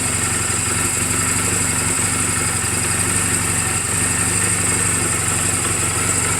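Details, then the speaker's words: 2007 Honda Rebel 250 idling in neutral just after an oil change and valve clearance adjustment; steady, even, smooth low beat with no knocks or misses. Mechanically sound, only cosmetic flaws; charging reads 13.2–13.4 V running. Normal healthy idle. "this motorcycle is running perfectly I just now changed the oil did the valve clearances everything"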